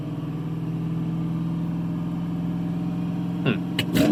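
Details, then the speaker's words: 2010 Chevrolet Silverado, P2135 reduced engine power, after throttle body cleaning, TPS replacement and key-cycle relearn (3 min on, 1 min off): engine holds a steady raised hum after start, never settling to normal idle; high idle persists. "Okay, that was another 3 minute cycle, and 1 minute off. Start it up again. Oh, it's still doing this high RPM thing."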